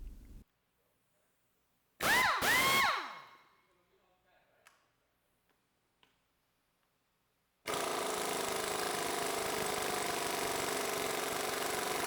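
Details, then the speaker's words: Ingersoll Rand 232TGSL air impact wrench, ported, fitted with 7-vane rotor and oil-soaked resin blades, on dyno; motor spins up then long steady free run with strong even hammering, audibly more powerful than stock. "I know we're usually data driven, but you can hear this difference in the gun as well. You can tell it's got some more beans."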